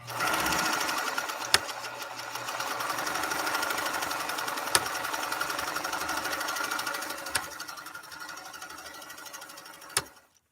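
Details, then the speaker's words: Pfaff 230 sewing machine running a decorative pattern stitch: fast even whir with light ticking near 220 per minute and a sharper click every few seconds. Normal clicking of the stitch mechanism. "and that clicking sound it's making is absolutely normal it's there's nothing wrong with it it's making that sound uh as part of its function"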